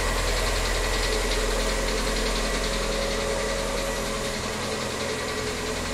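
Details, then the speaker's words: New 4-month-old VW Gol G6 with 4,000 km: on cold start, a steady quick ticking knock rides over the engine at about three and a half per second, worsening daily; the dealer could not resolve it. "Esse é o barulho que o Gol G6 está aparecendo aí na hora que liga ele já foi levado na concessionária mas não foi resolvido o problema"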